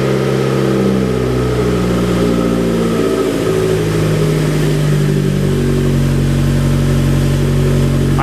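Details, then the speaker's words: Fiat 500 Abarth engine running in a Fiat X1/9 test body; a raised, slightly unsteady idle about 1500 rpm that drifts before settling, an earlier miss cleared, and the owner suspects a vacuum leak (unconfirmed). "is about 1500 i think i might have a vacuum leak here someplace but it appears that it's running"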